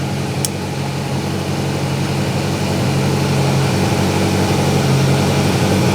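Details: Grinnall Scorpion kit car, radiator cooling fan just kicked in at idle during a smoke-flow test at the front: smooth even idle with steady rush of fan air building as it spins up; fan running normally.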